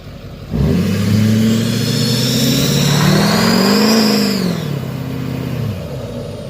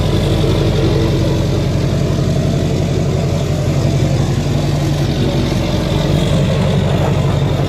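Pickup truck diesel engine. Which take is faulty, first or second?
first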